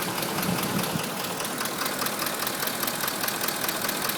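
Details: 2005 Ford F-150 5.4 L, almost 89k miles, regularly serviced with Motorcraft 5W-20: revved engine with a sharp knock two to three hits a second, now at all rpm. Owner and dealers suspect cam phasers; CEL on from an unplugged VCT.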